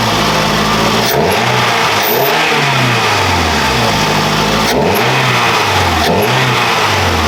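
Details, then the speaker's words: 2006 Scion tC with a newly installed Takeda short ram intake: crisp free revs from idle, rising and falling cleanly with a whoosh of intake on each blip like a blow-off, no hiss of leaks; healthy. "Alright, well, I don't think there's any leaks. Sounds good. Mm-hmm. So, kind of has a blow off now."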